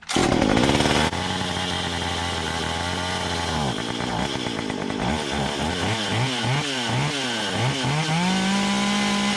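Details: Stihl MS 193 C two-stroke chainsaw after carburetor cleaning (previously cut out and lost power on throttle), started on full choke and primed: catches and idles, then clean quick throttle blips rising and falling, settling at high revs.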